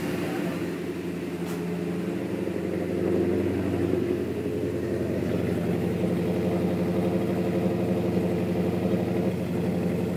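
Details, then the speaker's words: 1967 Plymouth GTX V8 with solid lifters held at a steady 2,000 rpm: fast idle with a light, even valvetrain rattle, the normal solid-lifter tick. "I got solid lifters in do yeah solid LIF can hear them rattling yeah I like it sounds good"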